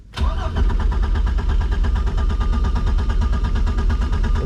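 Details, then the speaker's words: MerCruiser engine in a Manta Ray boat, started after fuel pump and tune-up work, voltmeter reading 12.5 V; quick crank catches at once, settling into a steady, even low idle with no misses or knocks; RPM and pressure look good; normal start and idle. "good looking good all right everything's looking good RPMs look good"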